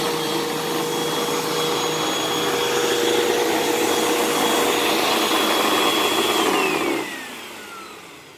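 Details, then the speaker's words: Hoover Elite Rewind upright vacuum: loud rough airy roar with faint steady whine, then spin-down; brush sounds bad, owner thinks belt is shot, needs new belt and possibly new brushroll. "brush does not sound good I think that belt is shot"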